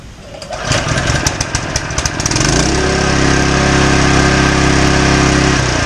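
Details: Fire pump single-cylinder engine after strip-down and reassembly (had leaked water, smoked, milky oil, wouldn't start), no-load test run: a couple of pulls, then fires and settles into even, steady beat with no misses or knocks.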